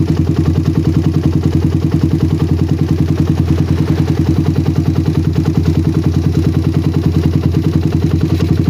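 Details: Single-cylinder bike with a PWK carburetor that ran wet at low RPM, after tuning. The idle is a steady, even putter, and pressing the throttle slide no longer affects it. Air-screw adjustment done.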